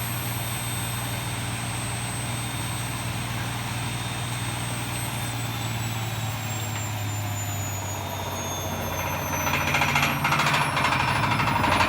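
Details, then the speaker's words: Bosch washing machine spinning: fast loose rattling knock over the motor hum as the drum flaps against its broken spider. "so that noise that you can hear is the spider rattling so it's the drum flapping away when it's compared to the spider inside"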